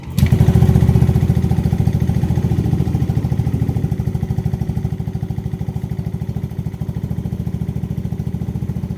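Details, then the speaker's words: Yamaha Aerox/NMAX 155 scooter that stalled in use with error 12, after CKP sensor replacement: steady even idle putter, settling after startup, no stumble; to be left idling 30 minutes to test. "Kaya ang gagawin ko dito, papaandarin ko ito ng kalahating oras na hindi tumatakbo. Sa ganitong paraan lalabas yung problema nito kapag meron pa."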